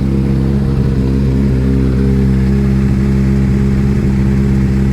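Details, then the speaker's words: Triumph TT600 salvage bike, first start with brand-new oil: loud, lumpy, uneven idle, as if only some cylinders fire. Owner suspects low battery, possibly a coil or spark plug; the misfire cause is unconfirmed. "so actually drawing that test the entered limp mode as if it was only running on two cylinders it was fine because you can trickle at home but there's no revs"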